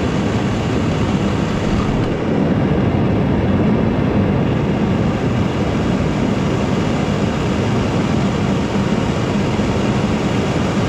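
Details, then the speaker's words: Foundry furnace gas burner after cutting the overlong burner tube shorter (it caused pulsating and low heat) and fitting a better regulator, around 5 to 10 psi: steady even gas roar with deep rumble, no surging or flame pulsing; running cleanly. "okay i like that regulator that is way better than these ones and this worked way better cutting that off"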